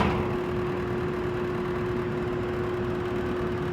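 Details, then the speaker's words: Carrier rooftop HVAC unit that was squealing, after belt tension adjustment with pulley alignment checked: steady airy rush with constant mid-pitched motor tone, no squeal or slap on startup; belt-driven blower running smoothly. "that's better I'm happy with that it also doesn't squeal on startup"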